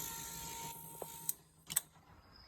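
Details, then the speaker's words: Fuel pump for a Gen 3 Hemi swap, wired directly to a battery to test the injectors after fuel pressure was checked. A faint steady hum with a thin mid-pitched whine for about a second, then clicks; normal pump operation. "So, now I just have the fuel pump hooked to this battery. And you can hear it running."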